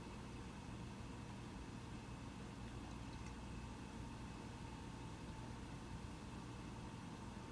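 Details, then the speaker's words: Mac Pro 1,1/2,1 with 32GB RAM running a multi-core benchmark: soft, steady airy hum, no rise or rattle, fans ramping only slightly near the end; normal fan noise under load. "if you've noticed in the fans on the Mac Pro I'm not sure if you can totally hear it but the fans did ramp up in the last half minute or so just slightly it was still quite quiet"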